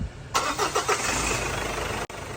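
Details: Long-dormant car after two injectors were replaced and the ECU reprogrammed: short cranking, then it catches quickly and settles into a steady idle, slightly shaky from being freshly started; normal start and idle.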